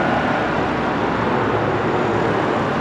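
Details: 2007 Chevy Colorado with i5 engine, just after serpentine belt replacement: steady, even idle with smooth fan whoosh and no chirp, squeal or slap; new belt running quietly. Normal idle.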